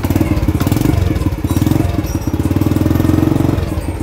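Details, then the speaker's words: Restored 1986-generation Honda Astrea Star underbone (bebek) motorcycle, started with one kick after restoration: even, quick putt-putt idle with a soft steady beat, no knocks or misses; normal smooth idle. "Saya mau kasih dengar kalian ciri khas motor-motor bebek Honda dengan halus banget nih suaranya nya"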